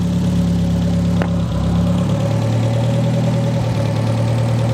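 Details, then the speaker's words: The "200" engine, exhaust being cut free, catalytic converter due for replacement, idling while parts are handled: idle hum drops in pitch and runs unevenly as if about to die. Stumbling idle, cause unknown. "it tries to die when I'm filling with something then you know it's a pretty bad sign"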